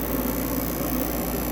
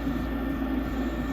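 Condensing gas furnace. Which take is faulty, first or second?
second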